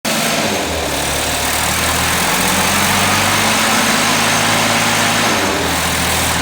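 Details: 1979 Datsun 210 engine running with an uneven beat, about four pulses a second and not quite regular, under a lot of hiss; misfire, cause being sought.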